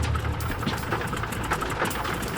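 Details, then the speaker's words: Canso water bomber engine number 2 at startup running rough: sputtering, coughing and hiccuping in uneven bursts and blowing smoke; something wrong. "Something's wrong. It doesn't sound right. Ran like a bag of shit, really. You know, it coughed, it hiccuped, it blew smoke. It wasn't a happy engine."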